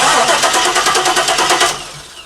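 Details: Chevy C10 truck with an LS engine of over 200,000 miles: cranks steadily at about eight compressions a second but never catches; crank and cam sensor signals and injector pulse are present, no spark traced to high-resistance ground splices.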